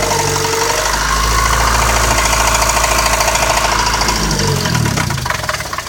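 Light, fairly regular ticking, about three or four a second, sits on top of a steady idle; the source isn't clear yet.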